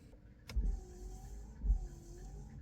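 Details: 2013 Mazda 3 rear wiper after new blade installed: light motor whine with a soft thump at each end of the sweep, about a second apart; rear wiper operating normally.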